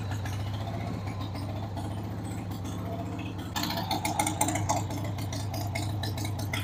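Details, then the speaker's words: 1993 Harley-Davidson Sportster 883 Evo V-twin after about 15 years' storage, running on a dead battery after starting spray: loping, slightly uneven idle with some top-end clatter, unsettled; rough idle, carb needs cleaning, fuel system needs work. "93 Sportster. Needs the carb cleaned, but man, the drive belt's in good shape."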